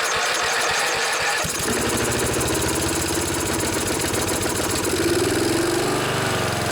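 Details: Snapper SR1028 riding mower, Briggs & Stratton flathead, first run after rescue, on choke, no air filter: catches into a fast popping beat with uneven stumbles, coughs and sputter, smoking; owner suspects too much oil.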